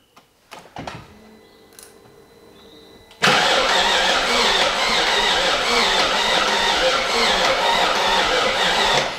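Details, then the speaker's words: BMW E38 with a freshly swapped-in 4.6 engine, first test start with the exhaust connected: starter turns it over at a sluggish steady beat of about two per second without catching; slow cranking, cause unconfirmed. "we need more power so now technically it should start"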